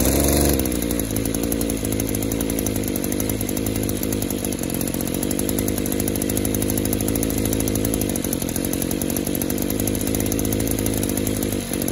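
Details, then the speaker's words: Two-stroke chainsaw after fuel system pressure testing: revs steadily but sounds wet and blubbery, never clearing to a crisp rev; engine loading up under throttle, suspected clogged exhaust and/or scored piston and cylinder. "oh you hear that it still wants to load up it's going broke one of two things that could be exhausted stopped up and or the piston is cylinder could be scored"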